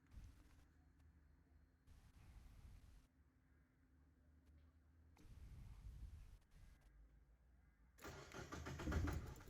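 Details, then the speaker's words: Mazda MX-5 first start attempts on a Speeduino ECU: uneven cranking bursts with clunks between them, like a starter not pulling back, then it starts on the last try without tune changes; cause unclear, no idle control wired. "At the first few starts the car made weird things and it didn't start As you could hear it made weird noises, clunky noise like when the starter motor doesn't pull back"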